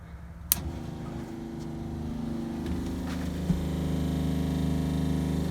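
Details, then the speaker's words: RV water pump running while winterizing with the Camco water-heater bypass kit: steady low drone with a fast pulsing beat that never cuts out; pump won't shut off because water leaks past the incorrectly positioned heater bypass valves. "I turned it on and the pump wouldn't shut off which I thought was kind of odd so I'll just let you hear what it sounds like"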